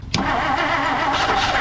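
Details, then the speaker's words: 1959 Plymouth Savoy with aftermarket carburetor, on battery booster with choke on: sharp catch after cranking, then a rough, uneven run that never settles to idle. Owner wonders about a failing starter; fires but won't keep running. "All right, that was with the choke, so it's firing now. So let's just keep trying it, I guess."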